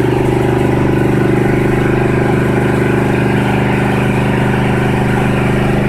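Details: 1976 Ford F-350, cold start after two years without starting: fast, steady idle pulsing about 3.5 beats a second, not settling; idle set too high, choke and PCV not yet hooked up.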